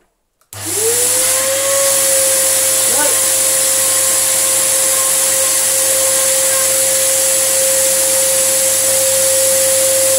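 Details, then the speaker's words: Samsung SU3364 upright 1800 watt vacuum, part-exchange unit: motor spins up to a high strained steady whine with hissing rush; airway completely clogged, causing pressure to come out elsewhere as an apparent air leak. "that's the enemy this is completely clogged and causing the pressure to come out elsewhere"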